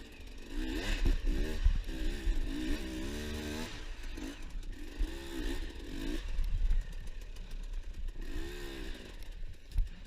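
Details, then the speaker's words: Two-stroke enduro bike with a bent header pipe and blown exhaust rings: revving with a flat, raspy, spitting bark and weak pull, lost back pressure costing low-end torque. Exhaust leak. "another thing if you guys can hear my bike kind of sounds like ass so what happened was the head apart is bent and the exhaust rings blew out so with that exhaust leak it takes away all the back pressure that white needs to produce good low-end torque"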